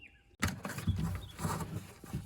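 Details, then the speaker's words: 2006 Nissan Frontier driver door power window motor runs with a strained, uneven grinding hum and low thumps as it raises the glass. The regulator cable has jumped its track on the motor spool and is binding. "the cable's getting in a bind when it's trying to roll the wind up"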